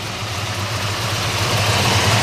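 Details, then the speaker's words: 1971 Chevelle SS with original LS5 454 big block, rebuilt, Edelbrock parts on cast iron heads, MSD ignition, mild cam, dual exhaust: deep, steady burble with a slight lope at idle, no weird noises; healthy idle. "I'm gonna head fire it up for you sounds great no weird noises under the hood"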